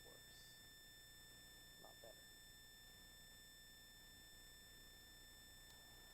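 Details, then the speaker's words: Wireless mic audio during live stream: thin steady high-pitched whine constantly under quiet room; ground loop noise, which occurs when the wireless mic is plugged in. "i've upgraded a little bit so as i said last stream i did try to get my wireless mic working it is now working and now i've learned not to plug it in otherwise you end up with that nasty ground loop sound"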